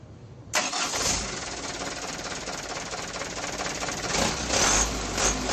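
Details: Mitsubishi Canter diesel truck, hard starting in the mornings, suspected broken starter ground (mass) cable draining the battery; starter motor checked OK. Short crank, then the diesel fires at once and runs steadily: a clean, healthy start.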